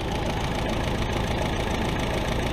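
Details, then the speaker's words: 1964 Willys CJ5 with F-134 engine after fitting a remanufactured Delco 10SI 3-wire alternator: fires right off into a steady, even idle with a smooth low rumble, no misses or knocks, charging about 13.5 volts; normal idle. "all right smoke test seems to work all right as you can hear it's running fired right off nothing's on fire here making smoke"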